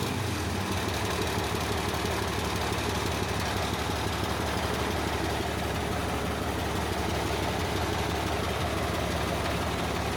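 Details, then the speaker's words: Caterpillar 977H loader with D333 engine after cracked-head repair, air still in system: heavy diesel idle with steady low rumble and dense even clatter, slightly uneven then smoothing out; running normally. "I'm just going to smooth it out. That sounds better."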